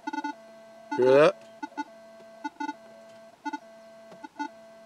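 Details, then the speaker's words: Metal detector's steady hum broken by double blips and a loud warble as a nearby cell phone searches for signal, causing false signals, instability and poor ground balance. "the cell phone can cause a lot of false signals cause the machine to be unstable and cause they're not to one to ground balance properly"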